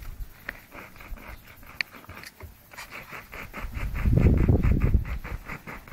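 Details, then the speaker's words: Old New Zealand-made PA speaker cabinet driver tested outdoors: rough scraping rasp on each bass push of the cone, about four times a second; voice coil pushed out of the magnet gap by too much bass and now rubbing, unlike a good driver. "can you hear that I have the wind's not wiping it out scraping noise and this one here by comparison is a perfectly good one see no scraping"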